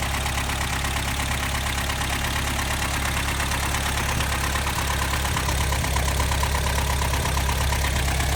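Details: 1984 Toyota 22RE engine with timing chain, tensioner and guides done by a previous owner; a quick, fairly even ticking or knocking, about three per second, over a steady idle. Top-end tick, source unconfirmed.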